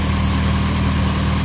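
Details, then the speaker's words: 1989 Honda Prelude Si idling after fuel injector replacement; the engine shook badly before and some mass airflow cleaner was being spat out: smooth, steady low idle with an even beat, no stumbles or shaking; now only normal vibration. "now it's pretty much just normal vibration man oh i love it"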